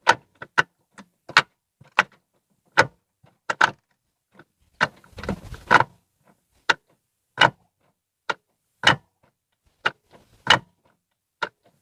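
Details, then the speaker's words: Ford Fiesta Zetec Rocam, microphone placed down beside the gearbox, engine off: sharp, dry metal-on-metal clacks in uneven bursts as the lever moves, worst going into second gear; gearbox oil was slightly below level; suspected dry, loose shift linkage. "quando engatar as marchas fazer um barulho estranho quando eu ainda tava todas as marcas principalmente a segunda andou engatar a segunda fazer um bar do concurso de crack crack como fosse ferro com ferro uma coisa estranha"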